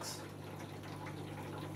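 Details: Hotpoint Aquarius+ FDW70 dishwasher test after replacing a faulty part: steady low hum with faint buzz and water sloshing, drain pump working normally.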